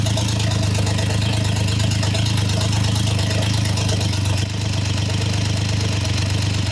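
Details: Triumph Trident T150 triple, first start, warm, choke open, oil returning well: low, slightly lumpy, wandering idle; carbs need setting, and owner plans to check the ignition timing with a strobe before adjusting them.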